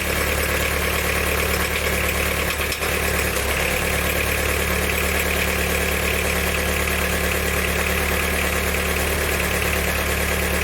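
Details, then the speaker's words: Diesel car after valve stem seal and head gasket work, with a camshaft bearing retaining bolt snapped and only one bolt holding the middle bearing: loud, steady idle with metallic knocking; a knocking injector was doubted since air appears purged. "definitely sounds like metals running around in there"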